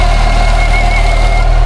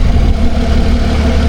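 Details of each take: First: Lotus Evora 400 at idle, reverted from power mods and tunes, with a persistent air intake fault code and a recent roadside stall: a steady high whistle over an even low idle, cause unknown. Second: Lotus Evora 400, warm, after replacing the air filter and clamping hoses while chasing an air intake fault code: deep, steady idle with an even low beat and no misses, hiss or rattle; normal idle.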